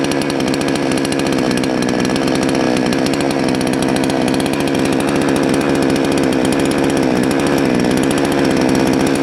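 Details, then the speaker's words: Salem Master chainsaw at full throttle during high-speed jet adjustment: uneven, burbling note that wavers instead of screaming clean; too far counterclockwise floods and smokes, too far clockwise runs lean and won't rev. "okay so we went way too far counterclockwise we got smoke so it's flooding way too far clockwise too lean doesn't want to rev up"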